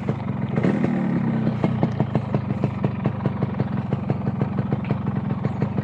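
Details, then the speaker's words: Motorcycle that starts hard and stalls easily, and tops out around 80 before sputtering, idling with a standard exhaust; even pulses at about six per second, a steady idle with no hunting, which sounds fairly normal. "suara mesinnya enggak terlalu parah sih nggak terlalu parah masih wajar-wajar"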